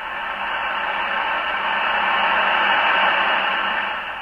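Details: National NCX-3 20-40-80 meter tube transceiver under restoration, warming up on about 117-120 V line voltage: even hiss swells gently as the set warms, no crackle or hum; receiver background noise normal.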